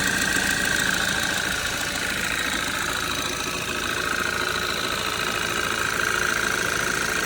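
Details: Cold idle, cover removed, on a 2013 Audi 2.0 TFSI gen2 with Stage 1 Revo tune and 150,000 km: a light, even tapping three or four times a second over the engine hum. Owner suspects a piston pin but is unsure.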